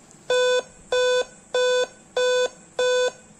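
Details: Dell laptop at startup with the adapter connected: five identical mid-pitched beeps repeating steadily, alongside a "Time-of-day not set, please run SETUP program" error.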